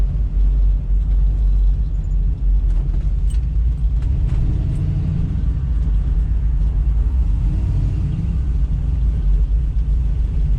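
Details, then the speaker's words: 1971 Chevy Nova with LS swap, after installing new Tanks Inc. EFI fuel tank and in-tank 450 lph pump: smooth low engine rumble with no audible pump whine; pump runs quietly, no leaks. "Didn't see any leaks. I don't think I can hear the fuel pump at all. It's much quieter in here."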